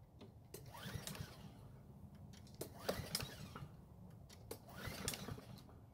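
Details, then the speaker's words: Curb-found Blackmax walk-behind mower with auto-choke: about three pull-cord cranks, each a brief rattly whirr with no firing; cranks but won't start, carb problem or stale fuel suspected, ran briefly after fuel poured into carb. "now unfortunately it didn't start now there could be a problem with the carb"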